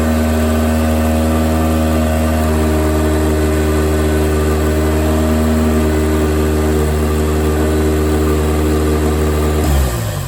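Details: Honda K20 from a base RSX, turbo swap in MR2-chassis VW Bug, first start with no coolant, run only seconds: very loud raw open-exhaust idle, steady and even, no knocks or misses, then shut off; healthy.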